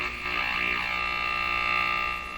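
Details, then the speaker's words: Canadian Philips 922 tube radio during paper capacitor replacement: steady high buzzing tones over the broadcast; interference from nearby LED work lights powered from another supply instead of their own power pack. "Okay, look at what that noise was. So I have these LED lights here. They're actually not terribly good."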